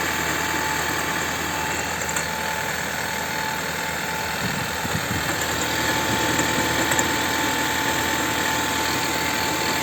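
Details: Chevrolet Volt 2 engine idling, air filter clean and spark plugs replaced: steady light knock about three times a second with an uneven, lumpy beat; engine knock and misfire, cause unknown.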